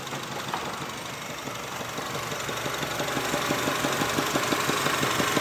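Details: Honda Civic idling in gear with brake held, while motor mounts are checked because of heavy vibration in the plastics; a sharp, even knock about three times a second grows louder, cause suspected, not confirmed.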